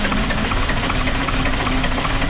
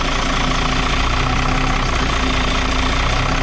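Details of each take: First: Dart bus diesel that was run out of fuel for the second time, with air getting into the fuel somewhere: it cranks and catches briefly, clattering unevenly near 600 rpm without settling, starved by air still in the lines. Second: Even, steady diesel clatter at idle on a Dart bus, three to four beats a second with no misfire or stumble, after being run out of fuel and bled at the injector unions; air suspected getting in somewhere.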